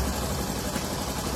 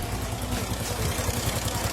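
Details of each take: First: 2018 Honda Pop 110i single-cylinder idling smooth and quiet with no tick, rattle or knock after replacing the slapping cam chain, tensioners, oil pump chain and gear; normal idle after repair. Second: Honda Pop 110i (2018) single-cylinder engine idling with a loose, clattery rattle over its low thump. The cause is the long cam chain linking the crankshaft to the camshaft slapping.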